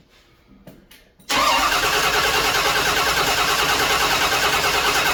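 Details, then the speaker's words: Camaro with newly installed MSD ignition box, wiring checked correct, spins over steadily at about three pulses a second but never catches; crank no start. "I got my MSD box in I didn't video record that that was just plug and play but it wouldn't fire up and of course I had to go through all the testing make sure all my wiring right which I did thank God"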